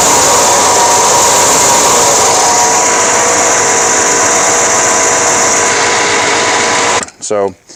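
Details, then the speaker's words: 1989 Chevy K1500 with a replacement alternator only about a year and a half old that still charges fine: a loud, steady high whine with a harsh rushing edge over the engine, like a jet engine. A noisy alternator bearing; the alternator is being replaced. "it's charging fine it's just making a terrible noise when it actually it sounds like a jet engine"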